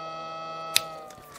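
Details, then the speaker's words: Replacement pump motor fitted in an Alphacool Eisbaer 280 AIO CPU cooler, bench-tested on power: a steady thin hum with one brief click. The pump spins smoothly, unlike the failed original that hummed loudly and screeched. "I'm going to dim the lights now so you can see more clearly the Alpha cool the lights up and you can hear the motor is clearly spinning"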